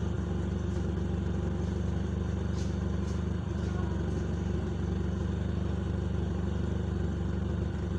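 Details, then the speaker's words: Engine with an unstable fuel regulator, tested with the opening covered: fast, loud, slightly wavering beat, rough under heavy throttle, which can lead to stalling. "Nah itu ada perubahan ya. Ketika dia itu gasnya besar, makanya akan terganggu."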